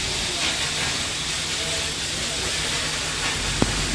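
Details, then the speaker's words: VW GTI engine idling with a loud, steady hiss of exhaust gas escaping underneath the intake manifold; leak found at a burned fuel injector seal, later repaired so the engine runs smoothly. "[Music] box wagon GTI engine missir ring and extra exhaust air came out underneath the intake manifold so diagnosis in progress right"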